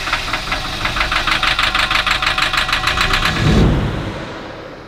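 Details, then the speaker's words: Diesel engine on a machine that sucked water into the intake, turbo full of water, after glow plugs were pulled and water spat out: clatters at a steady, fast beat of about three firing pulses a second, then revs; running cleanly again. "So, what we've done is we've taken out everything apart to get the water back out of the engine. And so far, I think it's success. In fact, if you stop and listen, you can hear that motor current again."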